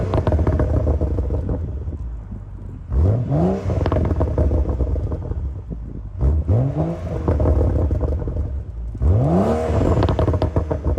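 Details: BMW M135i six-cylinder after full rebuild from a wrecked state: strong revs rising in three sharp sweeps, clean pickup and even fall back to idle; healthy, normal revving.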